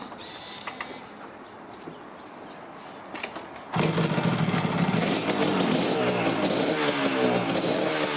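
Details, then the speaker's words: 1983 Yamaha RZ250 two-stroke twin with a 1985 RZ350 52Y-50 CDI installed via an adapter harness: starts and settles into a crisp even crackle; runs very nice, normal running. "And runs very nice. Sounds like an RZ. Sounds like an RZ, smells like an RZ."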